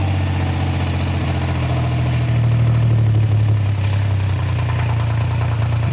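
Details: Triumph Trident T150 triple, first start, choke open, idle screw being wound up, carbs not yet set: high, slightly uneven idle with wandering beat and revs drifting up mid-clip; owner notes the recording sounds stranger than in real life.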